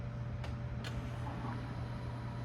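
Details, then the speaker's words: Staged extra fuel pump wired through a relay triggered by a hobbs switch at about 4 psi of boost, being tested: two crisp relay clicks, then a steady low electric hum as the pump runs and fuel pressure rises; normal operation. "and you see the pressure come up I can hear the pump come on I hear the relay energize"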